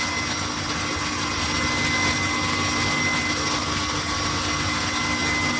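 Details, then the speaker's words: Refrigeration condensing unit after cleaning its dirty condenser, now regulating and starting and stopping on its own unlike before, one compressor running: steady compressor hum with fan rush and faint high tone, no strain; normal compressor cycling. "Maintenant ça régule, il démarre et s'éteint tout seul quoi. Contrairement à avant."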